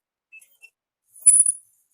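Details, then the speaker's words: Yamaha Fino front disc brake: brief thin high metallic scrape as the wheel turns, pad dragging on the disc and binding at points. Next step is checking pad wear, then possibly cleaning and regreasing the caliper. "เสียงเบรคแล้วรู้สึกว่าบางช่วงหมุนแล้วมันติดด้วยนะเนี่ยมันติดเห็นป่ะ"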